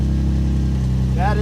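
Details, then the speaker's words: Right-hand-drive MKIV Toyota Supra that previously needed two or more crank attempts. After the starter relay was replaced, it starts on the first try and settles into a steady, even idle with no stumble. The no-start was fixed by a new starter relay. "with the new relay and see what happens so alright foot clutch on position started right up on the first try so"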